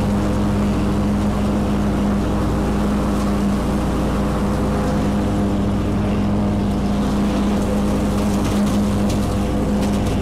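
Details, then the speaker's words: Kubota Z122R Kommander mower after a new carburetor and fuel filter, cutting grass under load: strong, even engine drone holding steady speed with no stumbles or surging. "well there you go that uh runs better than this running i don't know how long so maybe i should have changed the fuel filter last year the year before but either way new carburetor new filter runs great now i'm cutting grass"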